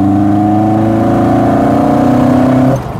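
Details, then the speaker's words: Fiat 131 Supermirafiori Sport with Guy Croft-tuned Lancia twin-cam and twin Dell'Orto carburettors, converted to right-hand drive, on a test drive; hard induction roar climbing with revs, then backing off cleanly. "it isn't it's got very low very close gearing I think and it's just that induction noise makes it sound like a full-blown rally"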